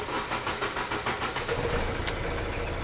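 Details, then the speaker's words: 2012 Hyundai i20 diesel with P1186 low rail pressure, after pressure control valve test passed; took a bit longer to start, short crank then steady diesel clatter at about 800–900 rpm; sounds okay, normal start. "you took a bit longer the start 800 rpm is thinking about one end you are PN 900 rpm I do sound okay"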